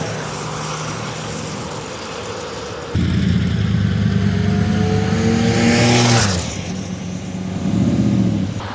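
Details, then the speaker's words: 99-mile 1981 Honda CBX1100, carbs professionally serviced and tuned, on a riding demo: smooth even note climbing with throttle and settling back, no knocks or misses; healthy. "this thing is absolutely mechanically 100% perfect very very smooth comfortable machine"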